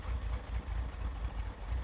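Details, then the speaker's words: 1961 Chevrolet Corvair Lakewood after FAST XR 700 optical electronic ignition install: deep slow chugging pulses at idle, idle speed set a bit low; to be raised half turns equally on both carburetors. "it's starting a lot easier with this new electronic ignition it's running okay but the idle does seem a little bit low"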